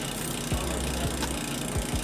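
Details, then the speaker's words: Norco XFR bike, mechanical disc brake adjusted correctly, wheel spun: light swishing scrape about once per wheel turn as a slightly warped rotor touches the pad. Disc brake rotor rub. "so the brake itself is adjusted perfectly there but that noise you're hearing that that's a little bit of a warp in the rotor"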